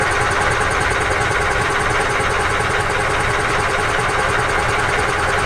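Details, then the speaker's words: Old EZGO gas golf cart engine after carburetor work (it had run only with the choke out): rapid, uneven chugging about 2.5 beats per second, catching and faltering while cranking to fill the bowl, with a leaking junk fuel line. A hard, sputtering start. "It's going to take a little bit of cranking to get the fuel onto the fuel bowl, but we'll be able to tell if it's going to run or not."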